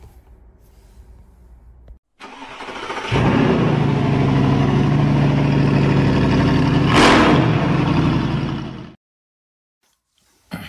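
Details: BMW E87 with fault codes 4680, 41AA and 4AFB and start/stop not working: starter spins the engine in a steady, even chug for about six seconds but it never fires; crank no start.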